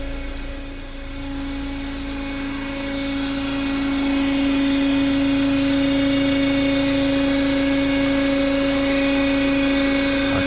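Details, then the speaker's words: Renault Duster Oroch petrol engine idles with a steady, droning hum-whistle. The intake manifold is vibrating, and disconnecting the PCV valve changes the sound, so the PCV is suspected but not confirmed. The owner complained of strange engine noises. "el cliente me llama para esa Renault oroch y me manifiesta que el vehículo está haciendo unos sonidos extraños fuera de lo normal en el motor que el motor está sonando muy raro"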